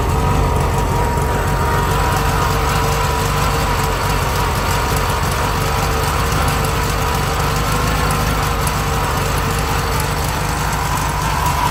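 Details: 1971 VW Bus Deluxe with rebuilt carb, running rich, choke set on top notch: low, lumpy, uneven idle before it dies, with a noisy generator. Owner suspects the carb is not dialed in correctly.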